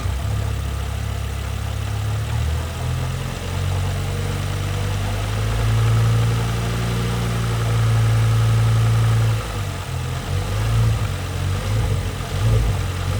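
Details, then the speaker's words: Audi RS6 V10 after a tune with upgraded high-pressure fuel pumps: the revs rise and fall smoothly with only a light, even injector tick; the earlier top-end tapping, blamed on a hydraulic cam follower, is gone; normal injector ticking. "so right now it's mostly just like injector noise but I put the footage on from before it went for a tune how it sounds like and I wasn't happy at all"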